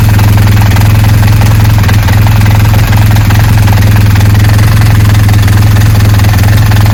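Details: BMW R1200GS motorcycle idling: deep steady boxer idle with a faint regular clatter about three per second from the gearbox; gearbox noise.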